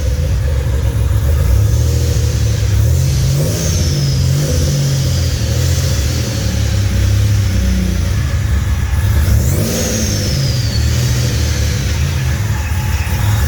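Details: Fully built 3800 V6 race engine on its first start after the build: strong, even low rumble climbing and falling smoothly through several revs, no knocks or misses, no smoke or leaks; normal revving.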